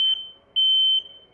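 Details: Smoke alarm sounding with no fire, apparently set off by hot water steam from a shower: two sharp high-pitched chirps, one short then a longer half-second tone; false alarm.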